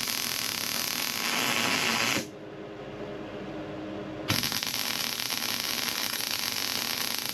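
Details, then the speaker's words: MIG weld when the shielding gas ran out: the steady frying crackle cuts out briefly, then returns harsher and rougher. Spatter clogging the nozzle can also block gas flow. Shielding gas loss. "Okay, now you heard what happened when we got down here and the gas ran out."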